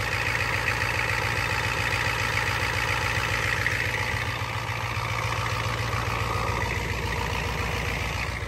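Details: Ford F250 7.3 IDI diesel, cold start with glow plugs not working: even diesel idle clatter at a steady, unhurried beat with no misses or knocks while warming up; normal idle.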